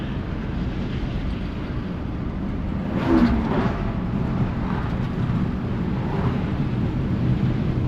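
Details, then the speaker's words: 1955 Chevy Bel Air "Lucy" on back roads after a new fuel pump cured a no-run problem (old pump suspected bad diaphragm or ethanol): steady, even low drone while cruising under light load, no stumble, miss or surging. Running like a top. "And now that she's got fuel, well, she's running like a top and she's just enjoying these back roads. This is awesome."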